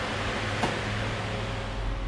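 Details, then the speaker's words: 6.0 NA build, relay-powered electric radiator fans switched on: steady even air rush with constant low hum, no rattle or scraping, running normally. "ayed fan power everything else is on a key infused appropriately and these fans actually kick out a ton of air"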